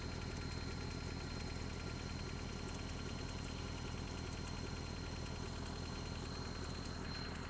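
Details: Just-bought Toyota 4Runner 22RE, cold start and rev, filled with 5W-30 oil: steady idle with a light, somewhat irregular knock around three per second over a low rumble. Owner suspects timing chain and/or rod knock, unconfirmed.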